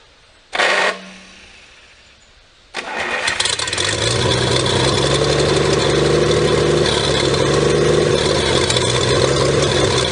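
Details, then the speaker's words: 1954 Pontiac 239 straight six revived after sitting for years, fuel bowl refilling: starter whirs, catches after a pause, settles into a slow, steady, even idle with no knocks or misses; warming up quickly, sounds healthy. "alive yes i love that sound nice and slow we don't want her to get too hot"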